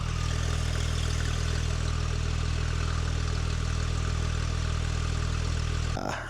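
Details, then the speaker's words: 2017 Porsche 991.2 911 Carrera 4 flat-six, straight piped with cat bypass and muffler delete, at idle: loud deep even burble with steady low growl, no misses, faint ticking possibly a loose heat shield; healthy open-exhaust idle. "It's freaking loud. It has a really nice growl now. This is the resting bitch idle right here."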